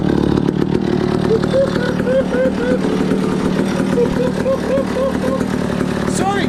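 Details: 1962 McCulloch 1-46 chainsaw, revived after lacking its carburetor and other parts: loud, raspy two-stroke drone holds steady with small rises in pitch as it's revved; running fine.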